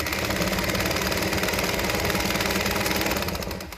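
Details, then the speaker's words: Singer 201P sewing machine with a size 14 needle, after cleaning, fixing and tensioning: quick even needle clatter at about four stitches a second, steady and unlabored; it sews smoothly. "I'm so glad it works"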